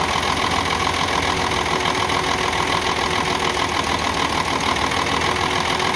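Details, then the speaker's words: UD truck Nissan PF6 six-cylinder diesel idling rough and uneven, one cylinder dead: number 5 injection pump plunger delivers no diesel, causing misfire, power loss and stalling under load. "ये वाली जो है 5 नंबर जो इसका प्लंजर है, इस तरफ से डीज़ल नहीं आ रहा। तो जब 5 नंबर प्लंजर की तरफ से डीज़ल नहीं आएगा तो आप समझ जाएं जो ये 6 सिलेंडर इंजन है, 6 सिलेंडर में से एक सिलेंडर काम नहीं कर रहा, 5 सिलेंडर काम कर रहे हैं।"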